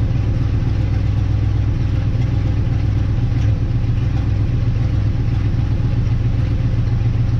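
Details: 1958 Dodge Coronet Lancer V8, sat 30 years in a barn, after checking condenser and coil: low, uneven idle that stumbles and sputters irregularly and shakes; rough idle with misfire, suspected not running on all eight cylinders.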